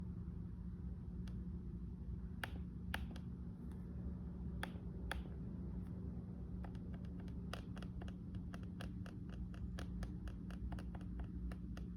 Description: Very annoying & irritating noise when single/double tapping the touch pad, especially when using it in a quiet environment.